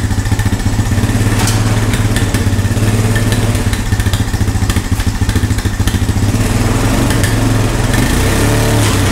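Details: Honda ATV found at a yard sale, revived with no parts after checking spark and compression and adding fuel; owner thinks idle may be set a little low: steady single-cylinder thump at even idle, putting exhaust, no knocks or rattles; healthy.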